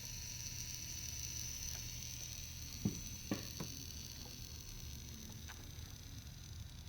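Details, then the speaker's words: E46 BMW M3 with a 2JZ swap, intake pressurised to 20 psi for a leak test: steady high hiss of air bleeding out on the turbo side. "Yeah, that's a rapid leak on that other side. Yeah. You can hear it bleeding the pressure."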